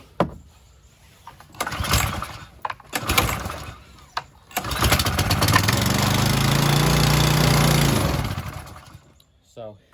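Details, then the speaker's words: Harbor Freight Predator pressure washer engine, lightly used with a like-new air filter, choked, switch on, fresh gas and a squirt of fuel added: a few pulls, then it catches, runs rough about four seconds and dies; fuel starvation from a clogged carburetor. "we got a car clogged carb somewhere in here so that's the next thing to worry about"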